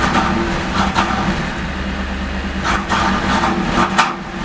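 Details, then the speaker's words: 1988 Camaro IROC 350 TPI, cold engine, uneven churning with irregular pops on revving, stumbles and won't rev; intermittent misfire, hard cold starts, flashing check engine light, no codes stored; fixed by replacing distributor ICM, computer also replaced. "it is misfiring as well I'll rev it up and you can listen to it"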